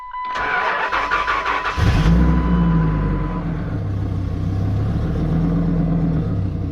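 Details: Cold start of a 1998 Dodge Ram 2500 V10 4WD with 154,000 miles: it cranks briefly, catches quickly and settles into a deep, even idle with no knocks or misses. Normal healthy cold start.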